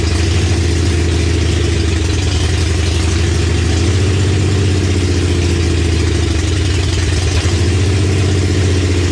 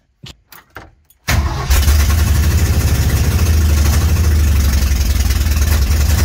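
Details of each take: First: 1965 Comet with 5.0L V8 and T5 five-speed, first start on open headers after a small fuel leak and checking timing; loud uneven lumpy idle, vacuum leak from a missing plug on back of the intake. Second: 1965 Mercury Comet with 5.0L V8 and open headers, first start after the build, after a small fuel leak and a timing check: four short cranking bursts, then a loud, lumpy, deep idle that holds steady; normal start and idle.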